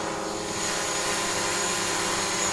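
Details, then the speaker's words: DJI Mavic Pro hovering with three broken propellers: a high buzzing with several tones and a slight waver as the motors keep correcting. The drone is a little wobbly and the props sound uneven. "It's a little bit wobbly, and I can hear it. Its propellers sound uneven, like it's, you know, clearly. The computer's doing a good job though, dealing with the fact that the propellers are broken."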